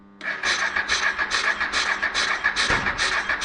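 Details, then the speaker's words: 1996 Honda NTV 650 barn find, stored six or seven years, carburetor cleaned, started on a booster with choke on: rhythmic chuffing about twice a second with a sharp crack; backfiring a lot on first start. "oh it's backfiring a lot"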